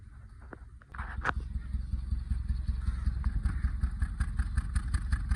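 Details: Petrol engine idling with an uneven, stumbling misfire; fault code P0353, ignition coil circuit fault.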